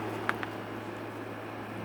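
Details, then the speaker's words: Air conditioner salvaged from a grinding warehouse, fins power-washed, running: steady low compressor hum with even fan hiss, no rattle or squeal; blowing nice and cold, normal running. "taking it was in a warehouse they do a lot of grinding here the compressor running Wow that's nice and cold where it's good"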